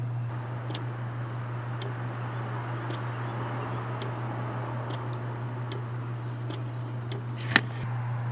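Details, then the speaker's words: 2007 Ford F-150 5.4L with P0446 evap vent solenoid fault: new vent solenoid commanded by scan tool clicks faintly about once a second over low hum, operating normally after broken power feed wire found. "and so there is our control I'll put the camera up there so you guys can hear it's really quiet"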